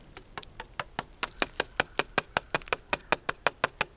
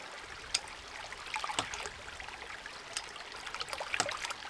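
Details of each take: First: Newly installed 1-inch hydraulic ram pump delivery pipe being tapped while filling uphill: sharp ringing taps about five a second with a bright, hollow tone, marking an empty section not yet reached by water. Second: New Land To House 1-inch hydraulic ram pump on test, no delivery pipe connected and outlet closed off: sharp clacks about every second over trickling water, even rhythm; waste valve cycling on its own as it should, building tank pressure.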